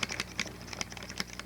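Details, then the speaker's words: Xbox 360 controller triggers after silicone lubrication of the squeaky trigger springs: only light plastic clicks on pull and release, no squeak left. Fix confirmed. "Actually, that one looks like it quieted. Yeah, alright, so it looks like all of them are good now."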